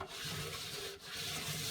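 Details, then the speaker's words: Merloni Indesit Innex washing machine, drum turned slowly by hand: dry, gritty rumbling rub with uneven catches, described as awful, like going over speed bumps; badly worn drum bearings, with a large gap between the rubber and the metal rim. "going over speed bumps you can't see that but i can feel it you can hear it can you i think i think so that's awful it's just it's just awful"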